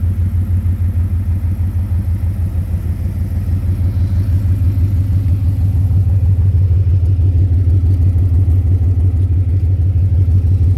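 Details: 2010 Ford Mustang GT V8 at idle: a steady low knock of about three a second, strongest near the oil pan and torque converter/transmission. Suspected rod knock, lifter tick or loose torque converter; cause undiagnosed.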